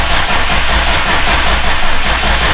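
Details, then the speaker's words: Subaru STI with freshly rebuilt engine just installed, starter cranking to prime oil before first start: steady, even low churning without firing; oil pressure building but warning light still on. "You'll hear it start to pick up. Now I mean it has oil pressure. But we still have a light on down there in the center. So I'm gonna keep cranking it."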